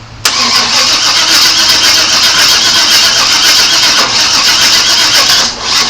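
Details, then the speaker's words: 1997 Chevy Suburban that sat broken for years: steady rapid cranking after cleaning and tightening the battery cables, fuel pump heard running, but it never catches; no longer backfiring through the intake. "Seems like it's trying. At least it's not backfiring through the intake anymore like it was."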